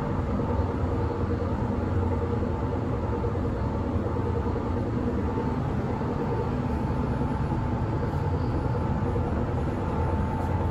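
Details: S-Bahn Berlin class 485 unit 485 112-7, built 1991, heard from inside the carriage on the S8 between Schönfließ and Hohen Neuendorf; a steady heavy rumble and rattle at speed from a severe wheel flat spot.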